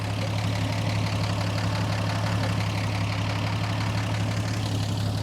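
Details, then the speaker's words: 1949 Chevy Fleetline 216 cu in engine just restarted after a PCV valve install, not run in a while, about 15 psi oil pressure: steady low idle with loose clattery tapping about twice a second; noisier than expected, cause unclear. "this engine's sounding pretty noisy, but it may just be me. Got 15-ish pounds oil pressure. Well, it's running. It sounds a little noisy, which is strange,"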